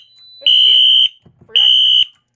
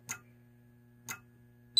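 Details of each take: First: Radionics D7022 fire alarm demo panel with a BG-10 pull station, after a smoke detector magnet test and reset; two loud half-second horn blasts with a gap, as the panel went back into alarm because the pull station was never reset. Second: Radionics D7022 fire alarm panel demo with Wheelock strobes in sync: crisp single clicks about once a second from inside the panel, then a steady alarm tone; normal sync module clicking.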